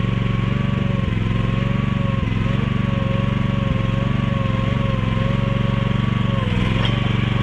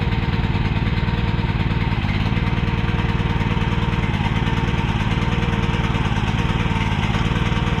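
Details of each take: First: Mini excavator with pull start, repaired after being bought broken and then sitting about 3 weeks, oil and fluids still to be checked; small single thumping steadily at about four beats a second, even, no misfires or knocks, running pretty good. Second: Repaired mini excavator's small single-cylinder pull-start engine: fast, steady, slightly uneven thumping with the choke left on; running rich.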